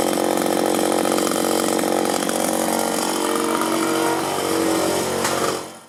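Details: 1983 Echo PB400E two-cycle blower, warmed up and throttled up: high, crisp buzz steady at high throttle, then winding down cleanly; normal running.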